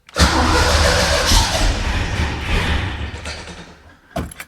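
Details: 1991 Fox-body Mustang V8 first start after AOD-to-Tremec T56 manual swap: starter catches, fires straight into lumpy even idle that settles; no knocks or grinding, normal start.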